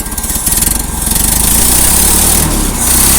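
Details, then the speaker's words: Old small carbureted engine after a winter cold start, with a new battery, a wobbly leaking water pump and a custom exhaust manifold gasket: it settles from a choppy beat into a steady idle with no knocks. Normal idle. "yeah you're running good"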